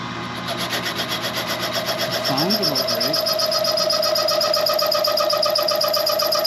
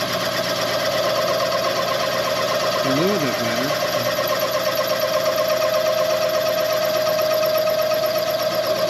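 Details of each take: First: Machining the rear main seal bore of a Chevy 400 for line honing: steady high ringing squeal with fast pulsing flutter, the cutter chattering because it has no clearance or rake behind the edge; the tool was then sharpened. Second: Machining the rear main seal bore on a Chevy 400 block for line honing, after the cutter was resharpened for more rake to stop chatter: a steady, even cutting tone without judder. Smooth cut, no chatter.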